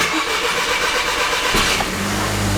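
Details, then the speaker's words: VW Golf 5 GTI started to idle and relieve fuel pressure before cam follower replacement, fuel pump not running: starter grinds about a second and a half before catching and settling; extended cranking from no fuel pressure. "it struggled to start, so let's count."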